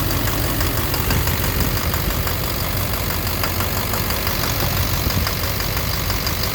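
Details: 2009 Silverado 3500 Duramax LMM diesel, 59,900 miles, cold-start morning, idling in neutral: rough idle with dull uneven knock about twice a second, louder in gear; suspected engine/bottom end, injector or cracked flexplate considered, oil analysis clean; unconfirmed.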